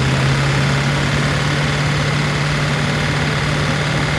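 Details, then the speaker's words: P38 Range Rover V8 that sat over winter with a suspected sticking valve or lifter. Oil was changed, and Liqui Moly plus Rislone were added. As it warms, a light quick lifter ticking sits over a steady idle, loudest on the right side. "Now that it's starting to warm up, you can hear the ticking from the lifters."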